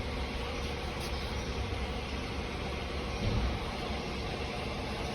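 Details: Hyundai i20 petrol after misfire repair, where water was found in the plugs and the spark plugs were replaced and the check engine codes cleared: even, steady idle with no stumble or shake, vibration gone, running smoothly on all cylinders.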